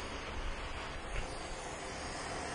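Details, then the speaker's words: 2004 Mazda Tribute second cylinder head after overheat, no start; leak-down test shows full leak-down with steady hiss of air blowing out the intake, not adjacent cylinder, leaking intake valve. "is coming out of the intake for sure. Yeah, it's actually even blowing up some little cruddies. Definitely out of the intake."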